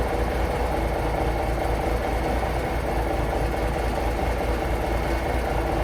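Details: Paystar diesel at low idle after the radiator rebuild with new gaskets; steady even clatter and firm low rumble, no misses or knocks, air building to about 70 lb, not leaking; normal diesel idle.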